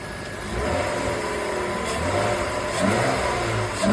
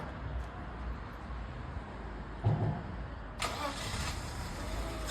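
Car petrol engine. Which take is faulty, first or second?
second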